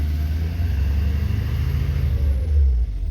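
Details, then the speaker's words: 2011 Ford F250 6.7L Powerstroke diesel that died at light throttle with P228F and fuel rail pressure dropping below commanded, after the repair: deep, steady low rumble with an even beat and no misses; idling much smoother, believed fixed. "it's being a lot smoother and everything with that now so that should be um that should fix that"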